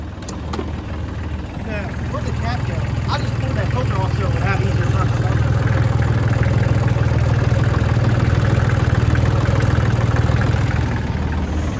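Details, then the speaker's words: 2003 New Holland TC29D compact tractor diesel, first run after sitting three years, new battery; loud deep chug about four beats a second with uneven lumpy firing rhythm; rough idle. "i guess she just has the dirt nasty idol"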